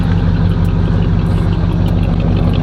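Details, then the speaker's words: Oldsmobile Cutlass 307 V8 just back from the mechanic, still burning oil at start-up: deep, steady idle with an even beat and a mild cam lope after a stall and restart; a normal idle. "but this is idle I'm gonna die out I knew that was coming but bro that that Idol sounds good"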